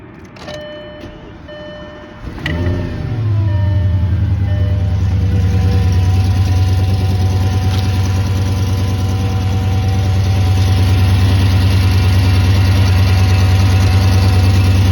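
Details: Audi S8 D3 5.2 V10 cold start: dash chimes, then a deep idle with a faint, regular tick that goes away once warm; owner suspects an exhaust leak, not confirmed.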